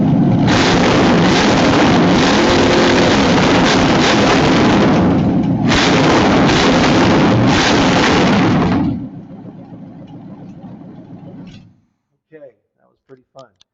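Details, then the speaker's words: Cold demonstration V8 with no exhaust, transmission or clutch, so very free-flowing: loud raw open-exhaust roar, blipped hard twice with a short dip, then shut off; revs hard and freely on throttle. "obviously this engine doesn't have any exhaust so it's very free-flowing it doesn't have a transmission or a clutch or anything like that so it really revs hard when I open the throttle like that"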